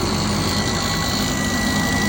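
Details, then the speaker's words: 2001 Subaru Outback engine running: thin constant high-pitched buzz over the idle; owner feared rod knock but suspects a bad alternator. "hello guys the super out back 2001 year freaking noise buzzle and I don't know what happened I don't know I hope it's not drug knock"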